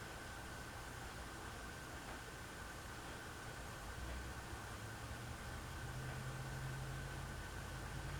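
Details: Hunter Reverse Aire Original ceiling fan on low after repair, where it used to run really slowly: a soft, steady whir with a faint even hum and no ticks, scrapes or wobble, so it runs smoothly.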